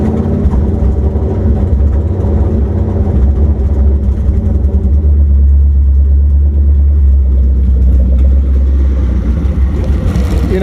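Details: Ford Crown Victoria 4.6 DOHC with low compression, replaced plugs, coils, wires, IAC, TPS and ECU: steady, even low rumble with no knocks, misses or surging; normal running.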